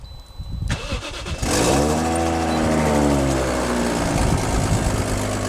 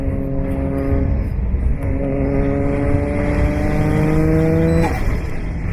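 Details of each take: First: Toyota Chaser JZX100 1JZ, two bolts blown out of turbo manifold after roll racing: after cranking catches into rough, raspy idle with puffing tick each firing; exhaust manifold leak. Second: Toyota JZX100 (1JZ straight-six) back on the road after four months, with loose turbo manifold bolts causing an exhaust leak now fixed. It pulls cleanly with a steady rising note through each gear and runs evenly; sounds healthy.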